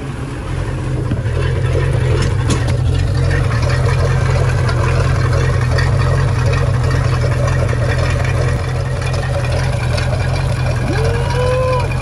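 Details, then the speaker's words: 1996 Bayliner Capri 2050 SS with 305 Chevy V8, sat 14 years, after tightening loose fasteners: deep steady low rumble at idle with even beat and no ticking on top; idling cleanly. "That ain't nothing like a V8 Chev. Let's see if we can get her down a little bit idle."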